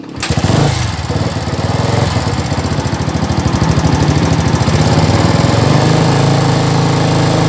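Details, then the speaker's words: Old Yamaha Vixion run briefly with no coolant during water pump seal and bearing job: engine fires into a rattly, uneven patter over the exhaust beat; abnormal noise, cause unknown, to confirm with owner. "Enggak tahu juga tadinya bunyinya motor ini seperti ini nanti kita akan konfirmasi dengan pemiliknya gimana dengan bunyi seperti ini"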